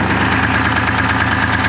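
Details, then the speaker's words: 1975 International Loadstar 1850 with Detroit 6V53 two-stroke diesel, just revived after loose fuel lines and empty tank, at fast idle: steady even clatter, no stumbles or skipped beats; earlier smoke clearing, owner unsure if it was just air in the fuel. "running really nice now i don't know if it just had air in it or what"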